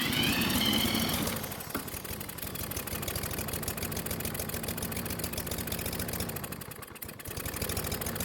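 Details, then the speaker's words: Troy-Bilt mower that wouldn't start, suspected flooded or moisture in cylinder, spun fast with a drill: loud fast spinning, then the small engine catches into a slow, uneven putter, struggling before slowly reaching speed. "after using the drill to get the engine to spin fast enough we finally got it to start and eventually it came to life and even though it was slow to get to Speed it finally got there"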